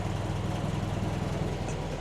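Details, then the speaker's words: Land Rover Series 2a station wagon, after leaning off the over-rich mixture: low steady idle with regular beat, no hunting or stumbling, sounds much happier; normal idle. "Sounds better, doesn't it? Sounds much happier."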